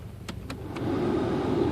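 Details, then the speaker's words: 2001 Volkswagen Golf MKIV after replacing a failed ignition switch, which had killed the headlights, turn signals, wipers and blower: blower now hums steadily with no rattle or squeal and gives hot air. "can hear the blower running yeah getting hot air wipers are working yeah turn signal working interesting"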